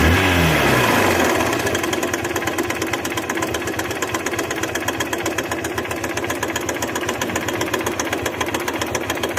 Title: Bike engine noise problem #shorts